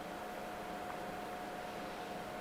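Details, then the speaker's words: LYTE gaming PC on the bench after boot: steady loud airy rush with a thin constant whine, no ticking; excessive fan noise from too many fans, suggested removing the three bottom fans. "don't like how loud the system is there's certainly recommendations i would make so let's talk about that i'm going to turn this off so you can hear me better that thing is loud"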